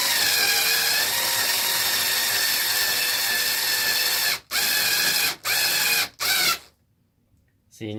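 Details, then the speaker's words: Losi 5T RC truck: harsh, rattly grinding from the drivetrain under load, cutting in and out in short bursts. Its gear teeth are stripping. "yeah the gears are getting stripped out in this thing so yes it sounds like garbage I know I know it doesn't sound good years are getting pretty bad in it so what can you do"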